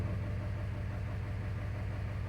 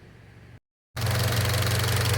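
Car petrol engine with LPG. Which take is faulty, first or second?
first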